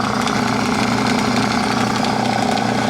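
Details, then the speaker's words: Small, very quiet air compressor, owner wonders if it is a mini 2-stage, just plugged in with no pressure built yet (hissing earlier, possibly the tank drain): quiet steady hum with soft even pulse about four per second, no knocking; pumps normally. "That's really quiet, huh? Yeah. I wonder if it's a little mini, is it a little mini 2-stage?"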